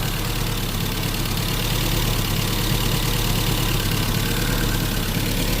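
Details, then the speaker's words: 1988 Isuzu Trooper 4x4, manual five-speed, after sitting for many years, coolant present: steady even idle rumble, no knock or miss, no blow-by or smoke; likely needs plug wires; normal idle. "Sounding pretty good. Not even no blow by. We did a check."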